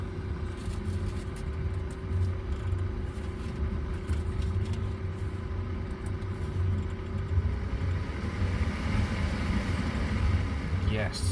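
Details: Audi Q7 (2006–2014) with a newly fitted heater blower motor, replacing one that squeaked and stopped: even, steady fan hum at one pitch, no squeak or scraping, over low cabin rumble; blower runs healthy.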